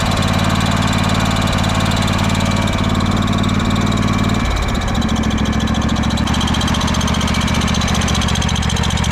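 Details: Craftsman DYS4500 riding mower revived after years sitting, fuel line worked on: steady even single-cylinder putter at fast idle with a brief dip midway, then smooth again; running normally.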